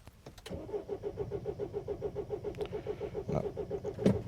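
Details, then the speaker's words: 2007 Mini Cooper D (R56) diesel, fault code 4A63 EWS tampering: even starter cranking that never fires, no fuel pressure building; suspected EWS immobilizer blocking fuel delivery. "so look at any fuel pressure but that could be the ews stopping that building pressure"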